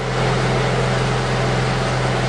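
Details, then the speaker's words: Honda Accord VTEC after timing and balancer belt replacement, test-started with covers off and crank pulley bolt finger tight: smooth steady low hum, constant pitch, no knocks or vibration; balancer belts correct, normal idle. "So let's do it. Sounds good to me. No problems. And no vibrations, so I got those"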